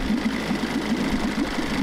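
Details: Quick, even put-put firing, no stumbles: 1994 Johnson 6hp two-stroke outboard idling cleanly with thermostat removed, running much cooler and pumping good water; thermostat to be replaced.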